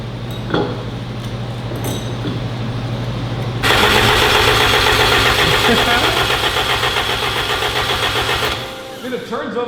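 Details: 1993 AWD turbo K-swapped 1000 hp Honda, engine cranked while checking oil pressure and leaks: steady fast starter chug, about four turns a second, no catch. Healthy priming crank.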